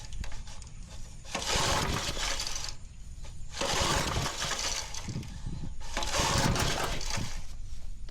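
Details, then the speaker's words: Old Lazy Boy 5 chain drive tiller, first recoil pull attempts. Repeated rasping pulls every couple of seconds with brief coughs, but the small engine never catches and does not start; the cause is not confirmed. "Now, I don't have any hearing protection in yet, but let's give it a pull. All right. It didn't start that time."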